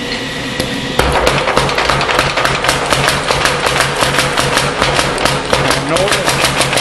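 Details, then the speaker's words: 1910 old-style Mayer Brothers 25 lb Little Giant trip hammer on three-phase power; quick regular blows, six or seven a second, each a dull heavy thump instead of crisp rebound, indicating a worn spring needing replacement. "notice the tump tump tump that's a sign that Sid says uh is indicative of the machine needing a new spring"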